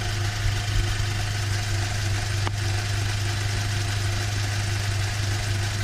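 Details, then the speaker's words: Audi A4 2.0T FSI, warmed up on ramps, before blow-off valve install: steady low engine hum with no whoosh or hiss on throttle close, as the stock full diverter valve recirculates; normal turbo rev, no blow-off. "Alright, so as you can see, you can't really hear because it is a full diverter valve."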